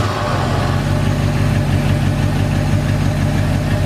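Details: 1981 Ford F100 V8 after adjusting a rattling rocker (pushrod zero lash plus half turn): smooth steady idle with even low rumble, only a tiny faint tick remaining; normal idle, valvetrain essentially quiet.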